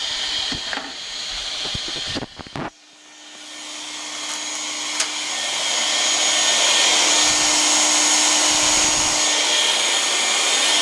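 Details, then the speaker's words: Oil-fired boiler with Field SWG-4 power venter being replaced: after a few clicks a steady whooshing roar builds as the burner lights even with the vacuum switch pulled; switch stuck closed or miswired, a safety fault. "now when I hit that switch and that boil I'll fly it up that's not supposed to do that unless that power bank that runs so I gotta check this wiring something's wrong here"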